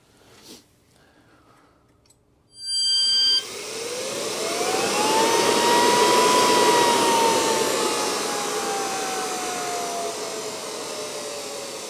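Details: NetGain Warp9 series DC motor, serial 30, run unloaded on older Curtis 1221C-7401 120 V 400 A controller: clean whine climbing as it spins up, easing down steadily, no rubbing or rattle; runs properly.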